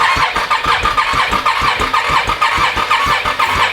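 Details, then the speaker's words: Can-Am fourwheeler at 958 miles after the motor blew and smoked badly: steady starter chug with a whirr, turning over but never firing; the bottom end is believed spun and torn, and a new long block is planned. "I think we finally killed it yeah yeah we killed her oh no no just shy of 1,000 miles too"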